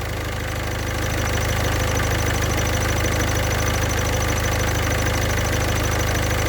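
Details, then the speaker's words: Engine idling while the clutch pedal is pressed and released: high cricket-like chirp pulsing about three times a second, attributed to a worn clutch thrust bearing whose balls are deteriorating. "That noise seems to be coming from the clutch thrust bearing."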